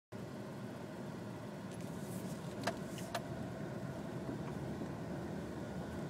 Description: Who left the harmonica behind the dash?